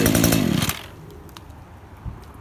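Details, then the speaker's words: Echo GT-2000 curved-shaft trimmer, serviced with a newer genuine Zama carburettor, spark plug and air filter, with a clutch: a short high-pitched two-stroke rev that drops back to a quiet, even idle. Normal running. "So we'll start it up, show you how it runs. It runs very easy. Has a clutch, so you can walk by the trimmer head while it's idling."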